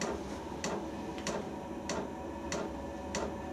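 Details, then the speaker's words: Banggood portable diesel heater, first firing with fuel system bleeding: crisp even dosing-pump ticks about 95 a minute over soft fan hiss as the pump starts metering fuel; normal, the pump is the noisiest part. "before long you'll hear the pump start to tick right you can hear the fuel pump ticking and there's a little picture of the fuel pump"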